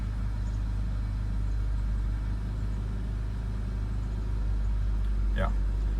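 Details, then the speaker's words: BMW E61 with N54/N55 engine, cold morning start after high-pressure fuel pump replacement for rough idle and 2B2C/29F2 codes: deep, even rumble with no shake or stumble, settled clean idle; previously would already have codes and very rough idle. "at this moment I would already have uh coats and very rough idle so I can definitely say that the issue was with fuel pump and I'm very happy how it turned out"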